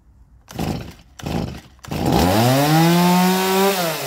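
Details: Stihl MS170 chainsaw, roadside find, first start: three pull-cord bursts, then catches and tone climbs cleanly as it revs and drops back; normal start and revving.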